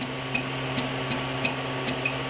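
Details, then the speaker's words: Wanhao Duplicator i3 Plus extruder loading 3D-Fuel APLA: sharp clicks about every third of a second over a quiet motor hum, the drive gear chewing filament blocked by a stuck Hatchbox PLA strand; nothing feeds, so the extruder needs disassembly. "it stripping. And it will not push anything out of the extruder."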